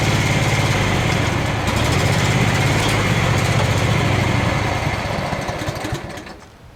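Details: Craftsman FS 5500 lawn tractor, single-cylinder, idling: a low putter that wavers unevenly, then sags and dies near the end. The owner says there is dirt in the carburetor, before cleaning.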